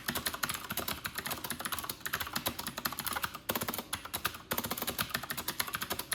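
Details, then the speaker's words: New Corsair K70 RGB Pro with Cherry MX Blue switches, typing test at 94 wpm in a quiet bathroom, camera in front of the keyboard: crisp, even clicks in fast bursts of eight to ten a second with short pauses, all switches alike; healthy. "So that's a sound test of the Corsair K70 RGB Pro MX Blue."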